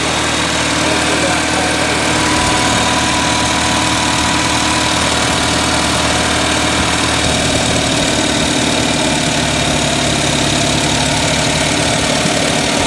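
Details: 1979 Datsun 210 after choke fix, idling high with full tank: fast uneven idle with an irregular stumble; pulling plug wires 1 and 4 kills it, 2 and 3 change nothing, so two cylinders appear dead; compression test planned.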